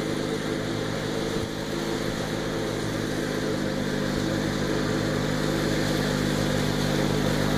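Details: Garden tractor with a rehabbed 50-inch mower deck, reinstalled and on its first test cut. Steady, even engine drone with smooth blades and no knocks, rattles or grinding. The driver's-side outboard blade sits slightly low. Normal mower deck operation.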